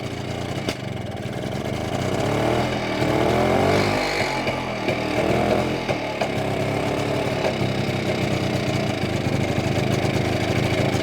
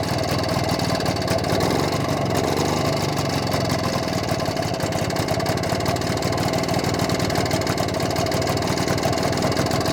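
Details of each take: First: BSA D7 Bantam two-stroke under restoration, running during carburettor adjustment: uneven running with stumbles and sharp pops as revs rise and fall, misfire and backfire; owner suspects slipped ignition timing. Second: BSA D7 Bantam two-stroke under restoration, after a fine tweak: busy, even idle holding steady with no misses, running smoother than before.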